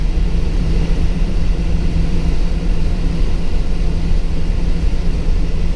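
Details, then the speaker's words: 2006 Ford E450 bus, 6.0 L engine, driving on the road: deep steady roar with a constant low whir from the engaged computer-controlled fan clutch, cutting in per cooling need; normal for these engines. "They've got a computer-controlled fan clutch, so that's why that cuts in and out. It depends on if it needs the extra cooling or if it's getting enough from the airflow. So you'll hear that back and forth driving around. It's normal on these engines."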